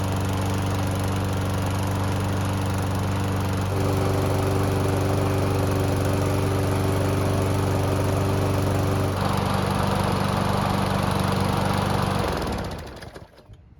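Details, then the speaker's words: A nearly new Toro mower that had not started for its previous owners, run after reassembly. It fires promptly, holds a steady even drone, changes speed smoothly and winds down cleanly at shutoff: healthy. "And as you just saw, this mower starts up and runs very well and does everything that it's supposed to do."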